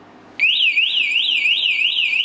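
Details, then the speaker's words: Vibration-sensor anti-theft alarm on a locked Jeep, set off by touching the vehicle: after a warning chirp, a loud high-pitched siren starts abruptly and warbles up and down about twice a second. "going to touch it that's like uncomfortable loud you guys might not be picking it up but also I feel like that was like the warning"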